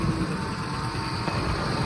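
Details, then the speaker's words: Ford F-150 after sitting about 6 years, fuel pump replaced: steady low idle rumble, even with no stumbles or knocks, purring; it also needed 5-6 quarts of transmission fluid to move. "she's purring like a kitty. All right, so actually come to find, all it needed was some transmission fluid."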